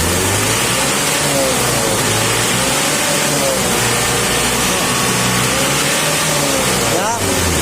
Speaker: nafasnya lebih ngisi ini lebih padat ini karena tidak ada suara bedanya di sana guys ya